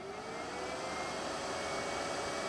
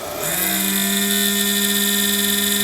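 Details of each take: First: Cheap Chinese power supply cooling fan after a zero-cost oiling fix: smooth, steady airy whoosh with a faint even hum, with no rattle or grinding, meaning normal fan operation. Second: Cheap Chinese power supply cooling fan spins up into a loud steady whine with shrill high overtones from a dry bearing, fixable at zero cost.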